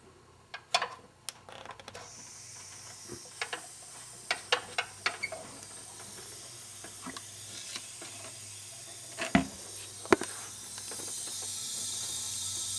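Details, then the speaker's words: Lincoln A/C after compressor replacement, system evacuated; cracking the valve sends refrigerant in with a steady soft hiss and handling clicks, normal charging; low pressure switch expected to pop to allow the compressor to come on. "so when if I did this right when i crack this open the air should go right into the system"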